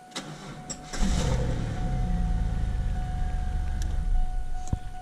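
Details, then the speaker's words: 2000 Camaro 3.8 V6 with a slow-crank / no-crank-when-hot problem, cranked with a jump pack attached. A short, sluggish crank before it catches into a rough idle; the start was judged lucky, and the starter is suspected (later replaced). "so even though it started that time I think that's just because it cranked over a little bit the first time and it just got lucky this time"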